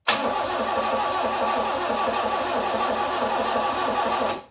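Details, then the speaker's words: 86 first start in months on newly configured aftermarket ECU: even starter churning over four seconds with no catch; cranks but won't fire because crank position sensor was set as reluctor instead of Hall effect. "didn't crank on the first try, but there was a pretty good reason for that."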